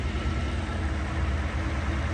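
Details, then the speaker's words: First run after rebuilding Solex Mikuni Type R carburetors, untuned, air mixture left as when removed: low, even idle rumble with steady beat, no stumbling or hunting; normal idle. "this is like, I haven't even like really tuned anything. This is exactly how the carbs were when I pulled them off, like all the air mixture and everything."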